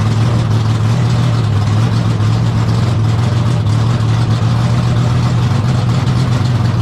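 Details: 1972 AMC Javelin race car V8, motor not run in almost 30 years, just started on the brake: deep, lumpy burble holding steady with heavy low rumble, no knocks or ticks. Normal V8 idle.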